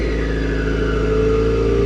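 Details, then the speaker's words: 2015 Mazda 3 with about 70,000 miles, aftermarket exhaust with mufflers: loud, raspy drone with a thin rising whine as revs climb, sounding straight-piped; a screaming turbo is suspected but not confirmed. "it's not straight pipe though it's got Mufflers I don't understand it looks like it has Mufflers but you can literally hear the turbo just screaming away through it"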